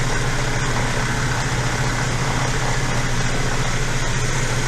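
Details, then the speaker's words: Custom-built driveshaft for a 1981 Toyota pickup spun on the balancing machine before any weights are fitted, around 2,400 rpm (about 50 mph in the truck): loud steady roar with rough throbbing hum; one end super smooth, the other shaking from driveshaft imbalance. "We got 2,400 drive shaft. That's so crazy, guys. But it's, you know, it's making some noise. We can hear the noise."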